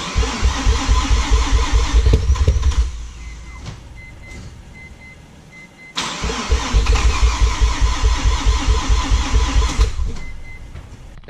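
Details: Mazda RX7 FD rotary, crank no start: two long bursts of fast, even starter cranking at about two pulses a second, but it never catches. The owner fears a blown seal; fouled spark plugs are suspected.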